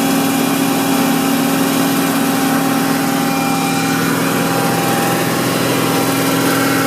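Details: BMW M60 V8 running at a steady 2500 rpm, with a light, erratic ticking that comes and goes over the engine hum; source of the tick unknown.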